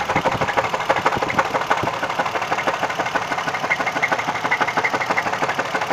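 Steady knock about three times a second, evenly spaced over the running engine; a clear knock, source still unknown.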